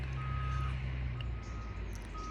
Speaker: do you also hear that beeping sound of this vehicle that is moving backward that has that kind of alarm beep